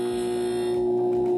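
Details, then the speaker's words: Philco PMS24 microwave on 220 V, running before repair: loud steady droning hum with a buzzy edge from the magnetron; magnetron roaring noise. "Esse é o barulhão que ele faz tá roncando o magnetron mais uma vez cancelando"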